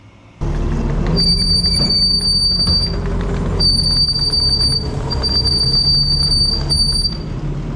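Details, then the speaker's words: Kubota track skid steer working outdoors, moving manure: a loud, steady high-pitched squeal cutting in and out over the engine rumble, worsening all winter; the track rollers are suspected. "so you can hear that squealing as we were running back and forth to the manure pile and it's an awful sound they almost had to wear earphones in the skid steer uh to operate it"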